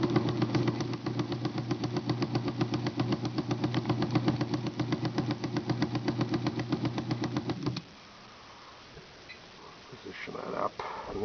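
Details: IBM Selectric typewriter: fast, regular thump about four per second over the motor hum until switch-off, from the cracked drive hub and pulley the belt attaches to, knocking each revolution; the belt is also fraying and both need replacing.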